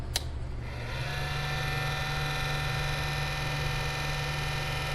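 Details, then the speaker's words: 800W AC/DC power inverter on a battery after a fuse fix: steady whirring fan with a low hum and faint high whine from power-up; fan sounds rough, cause unclear. "okay we've got a light the fan doesn't sound good let's see if we can uh run something off of it"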